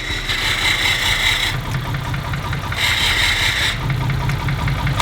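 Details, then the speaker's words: BMW E34 525 barn find, neglected 10 to 15 years and parked after a head gasket failure, just started: loud lumpy uneven idle with coarse chatter swelling and fading every couple of seconds; running rough. "Why does it sound so like trash though?"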